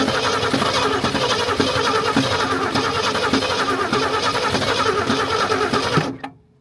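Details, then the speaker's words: 1964 Ford Ranchero first start after sitting since 1986, heavily corroded points cleaned: engine runs with an uneven puffing gallop, about three or four pulses a second, heard through the valve cover; owner suspects a stuck valve. "I'm hearing a little little gallop in there. I think we have a stuck valve. Just puffing. I think I hear it coming up through the valve cover."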